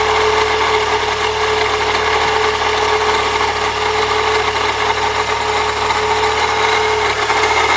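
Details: 1998 Saturn SL2 DOHC at idle: constant gritty, whirring rasp from the accessory belt drive; new idler and tensioner pulleys didn't fix it, noise seems to vanish with the belt off, unchanged with A/C on.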